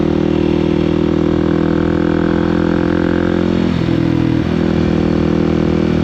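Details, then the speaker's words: Kawasaki KOX 300 SM single-cylinder motorcycle riding, downshifting and upshifting: steady drone with quick clean dips at each gear change, no clunk or crunch; smooth gear shifts. "But you hear how I'm shifting and how it sounds when I downshift and upshift. It sounds smooth, right?"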